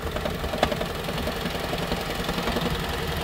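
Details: Toyota Prius 2012 petrol engine on cold morning start, knocking unevenly and shaking rough; the noise goes away shortly after.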